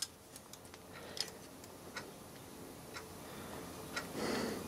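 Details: Horstmann Gear Co. (Bath, England) Mk 2 clockwork timeswitch, 30 amp, 50 cycles: light, crisp ticks at a fairly even pace in a quiet room; the clockwork movement is running normally.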